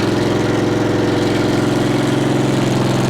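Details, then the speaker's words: Multiquip 1.5-ton asphalt roller's small engine idling smooth and even, a steady quick putter like a little lawnmower with no knocks or misses, after the failed fuel pump was replaced with a cheap clicky electric pump; normal idle. "She runs, like I said, it's like a little lawnmower. It's nothing special."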